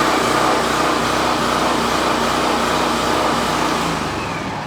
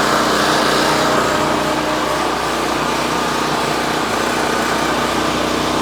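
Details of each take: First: Champion 4000 generator running after carburetor replacement with an $18 aftermarket unit (old carb inoperable despite fuel cleaning); started on choke, slightly choppy, steady small-engine drone easing off as fuel valve shut off to starve it; normal running. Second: Champion 4000 generator with new replacement carburetor, running on choke before tune-up: small single with busy, slightly uneven beat, a little choppy, then fuel valve shut off to let it starve; rough on choke.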